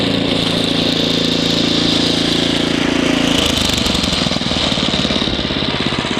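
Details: Ariens ST724 snow blower clearing snow, rebuilt carburetor, new fuel lines and impeller bearing; microphone apparently clipped in hood. Steady drone, note drops and roughens slightly taking load, then recovers evenly; normal running under load.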